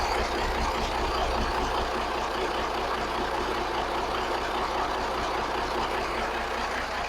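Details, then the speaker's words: 1983 Kenworth cabover, Cat A-model diesel, after setting injection timing and valve overhead: big diesel idles with steady even low rumble, consistent firing, no misses or knocks; sounds healthy, owner credits timing and overhead fix. "I mean, it sounds pretty good, doesn't it? Wow. Who would have thought? Who would have thought that that little bit of timing being off and that overhead being off was going to be the"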